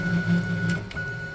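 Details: DIY CNC router Z-axis with a heavier water-cooled spindle: low buzzing growl pulsing as the spindle drives down, then quiet; gravity overruns the lead screw and unloads the nut, causing backlash vibration, fixed later with a hydraulic counterbalance.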